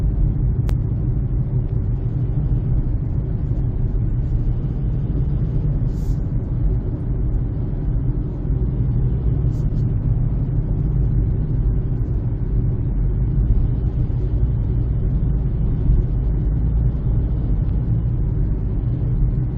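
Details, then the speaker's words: 2007 Honda CR-V, loud steady low tire rumble in the cabin while driving, moved from rear to front after tire rotation; old six-year-old Black Lion tires cupped with flat spots, noise gone after new Bridgestone Ecopia tires. "so there was some uh flat spot on the old tires that is causing the noise"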